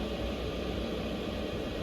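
A constant, even rushing hum from fan and burner with no surging or knocking; the diesel heater is running normally.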